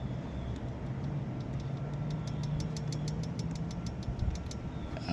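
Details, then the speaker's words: GY6 150cc scooter engine at idle, before valve adjustment: light, quick ticking about six a second from excess valve play. The spec is 0.004 in for the top valve and 0.005 in for the bottom valve. "It got a little bit of play right here and a little bit of play right here, but you could kind of hear it chattering."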